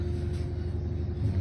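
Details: Samsung front-loader washing machine, about two years old, after repair of loud noise and cut-outs during spin: steady low rumble with faint even hum, no knocking or banging; normal spin cycle.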